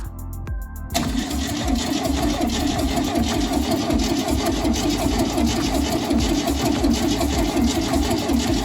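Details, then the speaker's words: 1971 VW Bus Kombi, cold start during restoration with no exhaust or accelerator fitted; short burst of cranking, then it catches and runs loud and rough-edged but steady and even. Nothing wrong with this motor. "nothing wrong with this motor. So what we'll do is we'll put an exhaust on it and hook up the accelerator. So there you go, cold start on a old 71 Kombi."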